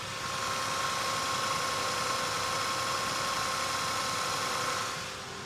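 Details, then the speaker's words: 2002 Toyota Tacoma at 44,684 km, cold start: fast, even valvetrain ticking over a smooth steady idle; clean cold start, runs perfectly. "And we'll fire it up. Now showing 44,684 kilometers. And yeah, it runs perfectly as you'd expect."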